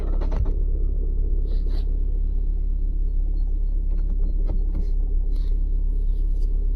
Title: opinions. Rattlesound in neutral when clutch is released. can't get out of 5th gear. read comments